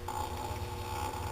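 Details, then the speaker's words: ABS spiral mixer with cover off, deep-groove belts: steady motor hum with faint thin squeak as belts leave their grooves; normal, nothing wrong, cover hides it. "It's perfectly normal because these belts fit down into this groove so tight that when it's coming loose, when it's spinning, they come loose and you can hear it."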